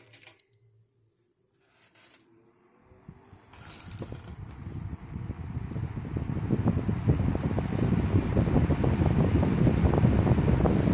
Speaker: speed okay very very powerful has a good low speed to it very well balanced too by the way it's running very